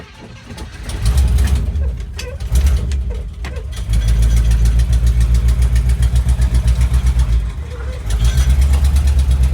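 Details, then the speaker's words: 1973 International Travelette crew cab, 392 V8, parked 30 years, first running with little choke and low oil. Lumpy idle with a quick, steady tick on each exhaust pulse. Exhaust tick. "it's got an exhaust tick you can hear that obviously"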